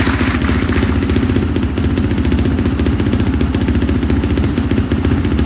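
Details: 2005 Honda CRF450R after owner's top-end rebuild and no-start, timing reset and retorqued to 29 ft-lb, broken spark plug found as cause: firm regular four-stroke beat at steady idle, no misses or knocking; starts and runs cleanly.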